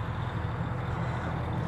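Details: 2024 Renegade Verona 40VRB motorhome on Freightliner M2 106 chassis, Onan 8000 generator running: low steady drone with even hum, no knocks or surging; generator running smoothly.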